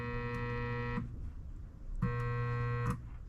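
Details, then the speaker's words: Motor salvaged from a garage door opener, wired with one lead to the suspected neutral while the hot lead is tapped to the blue wire. Two low buzzing hums, about a second each, with no spin-up: it gets power but won't start. Cause not confirmed. "Okay, so I don't know if you can hear that, but the motor's trying to go. So it is getting power."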